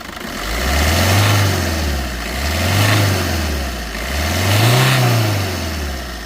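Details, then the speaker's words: 2016 Maruti Swift Dzire VDI diesel, 77,200 km odometer (107,000 km also stated), very black engine oil, at idle: steady even low clatter with gentle slow rev swells, no knocks or unusual noises; engine sounds smooth and healthy. "సరే , మీరు చూస్తున్నట్లుగా, engine శబ్దం చాలా మృదువుగా ఉంది మరియు ఎటువంటి అసాధారణ శబ్దాలు లేదా పెద్ద శబ్దాలు లేవు."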